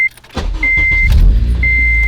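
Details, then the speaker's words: Car on Airlift air suspension, engine idling: steady compressor pump whirr with two short high beeps as the car airs up to raise it; normal air suspension inflation. "boom, comes up, air the car up. And that's it."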